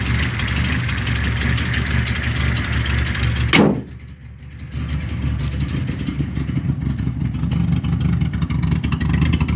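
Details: Datsun 260Z: engine revs then drops to rough uneven idle with raspy puffing edge; exhaust leak toward the rear, left unrepaired for now.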